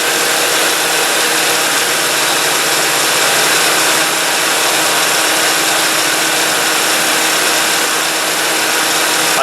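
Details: 2005 Toyota Matrix radiator fan after replacing the noisy fan motor, which had vibration and play; engine idling with AC on. Smooth, constant fan rush over a quiet idle, no rattle, wobble or buzz: normal running.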